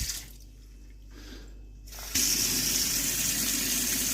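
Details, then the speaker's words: A kitchen mixer faucet, iddis brand, runs with a smooth steady hiss of cold and then hot water and no humming, after the noisy cartridge was replaced with a new one. "холодная вода Не гудит горячая тоже но лучше заменить две робуксы"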